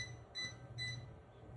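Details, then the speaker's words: Klein non-contact voltage tester run along a cable gives short high beeps in irregular bursts and a flashing red light: voltage detected alert. "Pretty much run it along the run it along the cable and you hear you can hear it beeping and the the red light flashing saying that it that voltage is there."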